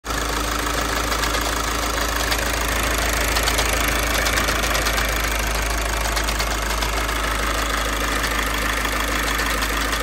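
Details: VW TDI diesel with DSG at idle: harsh metallic rattle from engine/gearbox, about three clatters a second over the diesel clatter; confirmed failing dual mass flywheel.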